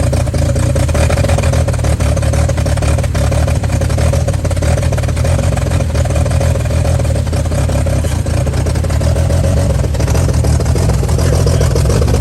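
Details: 1955 Chevy truck inline-six that sat about 30 years with a locked-up engine, now revived: a deep, even six-cylinder rumble with smooth pulls under throttle and no knocks or misfires. Runs pretty good.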